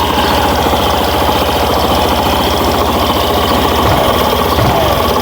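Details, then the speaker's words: Suzuki Burgman Street scooter after fixing noisy CVT, torque drive bearing found as the cause: engine revving smoothly with an even belt-drive drone, no sawing or rasping; CVT now quiet, running normally. "Ayan. Ayan. So tahimik na siya mga boss. Ayan. So unlike kanina na napakaingay."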